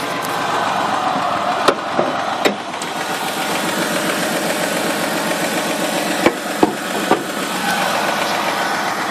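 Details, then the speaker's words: 2002 Ford Escape, 143k miles, hot engine: idle smooth at first, then uneven and hunting with stumbles at low idle, engine shaking. Check engine light, cylinder 1 misfire code P0301, earlier running-rich code; recent clamp on kinking vacuum hose; cause unconfirmed. "pretty smooth until it gets down to the low idle you can already start to com [Applause] it's kind of tripping out right now"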